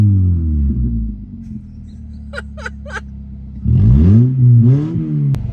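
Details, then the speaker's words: Toyota Matrix after new catalytic converters, exhaust manifold gasket, spark plugs and coils, running without the rest of the exhaust attached: loud open-pipe rumble with rising revs, no ticking puff at the manifold; the manifold leak is gone. "I just want to see if this fixes the issue that we had because I can't hear an exhaust leak anymore but I also can't hear much of anything else except the exhaust coming out of those cats I don't hear anything coming out at the manifold"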